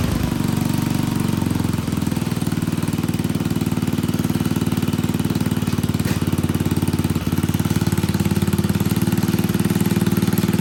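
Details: Old Troy-Bilt Pony rototiller on a temporary battery, running on fresh gas: single-cylinder putter at steady idle, firing pulses fairly even with no misses; idles normally.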